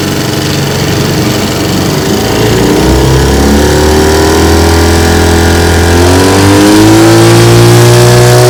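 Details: Restored 1950 Johnson TN-28 5 HP outboard on final bayou test run: steady, even two-stroke drone climbing smoothly as throttle opens, no misfires or knocks; healthy, pushing the boat.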